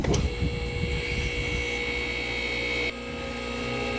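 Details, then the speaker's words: Borrowed MaxJax lift, first test run with fresh ATF in the hydraulic system; startup clatter, then electric pump settles into a steady hum with constant whine, lifting very slowly; normal run. "she lives very slowly but she lives success"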